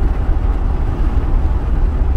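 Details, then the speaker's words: 2010 Ford F-150 on a road test, about nine km at various loads and speeds, after fuse 27 relocation and fuel pump driver replacement for a stalling and crank-no-start fault: steady low drone pulling on the road, no stumble, surge or cut-out; running properly. "but like I said this is a mechanical returnless system but it seems to be running fine I've gone about 10 uh nine kilometers so far various loads and speeds"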